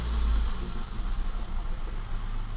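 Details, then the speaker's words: 2017 Hyundai i20 at idle, heard from rear of car: rough uneven stumbling beat, misfire with fluctuating rpm; also occasional stalling and poor mileage; faulty spark plugs suspected. "आप देख सकते हैं missing कितनी ए रही है"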